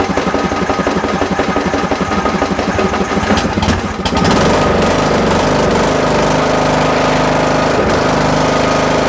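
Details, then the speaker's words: Riding mower lawn tractor that would not start, after its solenoid stuck in the shut-off position was forced open: choppy cranking, then it catches at about four seconds and settles into a steady, even run with no misses. "sweet i am glad that trick worked i hope it helps you out if you happen to have the same problem"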